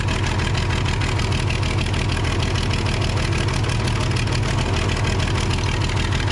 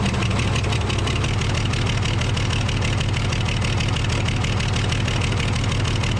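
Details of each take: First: Case 855D loader, 12-valve 5.9L Cummins, after injector replacement and tightening a loose injector nut to about 50 ft-lb: steady even idle, about three beats a second, no knocks or misses; healthy, bubbling stopped. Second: Case 855D loader with 12-valve 5.9L Cummins diesel at idle, before repair: uneven stumbling beat instead of a smooth clatter; misfire from a bad injector that caused loss of power and overheating.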